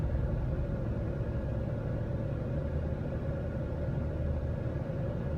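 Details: 2018 Jeep Grand Cherokee test drive after fixing P0336 crankshaft position sensor fault: steady, even low rumble with no misses, knocks or surges; no warning lights, rescan shows no faults, engine running smoothly.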